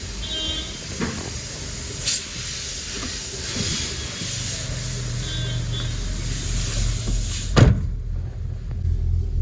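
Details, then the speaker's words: Hyundai i10 after engine noise repair (water pump/alternator suspected), bonnet open: steady even low idle with no knock, tick or whine, then bonnet shuts; engine now quiet and running clean. "अब अपनी गाड़ी ने जो है start है अब बिल्कुल भी साउंड नहीं आ रहा है बाहर इंजन एकदम साइलेंट हो गया"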